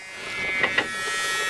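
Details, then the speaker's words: 1973 Mustang Mach 1, engine off before starting after sitting with battery disconnected: steady high whirring hum from the cabin heater blower fan motor running normally, stops when switched off. "oh it's the fan motor let's turn that off still making noise there we go"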